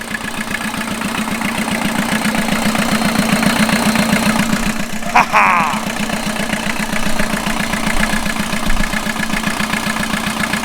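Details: 1989 VW Jetta mk2 diesel, 5-speed, about 118,000 miles, revived after sitting about 14 years, on new fuel and a new battery: steady even diesel clatter at idle, a brief rev in the middle, settling back smoothly; normal.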